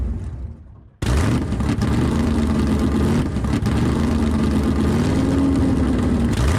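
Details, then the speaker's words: 505 stroker big-block V8, 600+ hp, in Dodge Charger, first start: runs loud and lumpy with uneven revs, not settling to a steady idle; idle still needs setting, fuel pump upgrade needed, possibly fuel-starved. "we got to get this thing actually set it where it will run an idle which is that stuff that's supposed to go right there"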